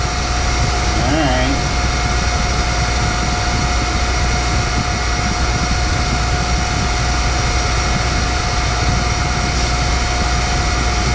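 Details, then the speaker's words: Boyar Schultz Challenger surface grinder with its motor refitted: steady running hum with a constant thin whine throughout; motor sounds good, but the noise seems to come from unhappy spindle bearings, cause unconfirmed. "No here goes motor sounds good spindle bearings got happy unhappy"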